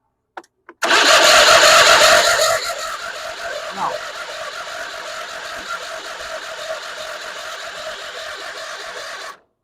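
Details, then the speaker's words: Late-1990s/early-2000s Craftsman riding mower with a swapped 21.5 HP Briggs & Stratton, two-stroke gasoline poured down the intake: loud burst of firing then ragged chatter that fades as it starves; no-start, owner suspects spark or fuel. "This thing started great the other day. It's acting like it's not getting any fuel or spark."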